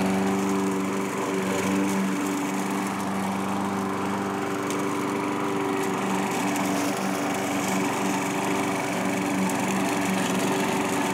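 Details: Curb-found self-propelled Craftsman mower, single-cylinder, after carburetor cleaning and reinstall; steady, even drone with no surging or hunting under light cutting load: normal running.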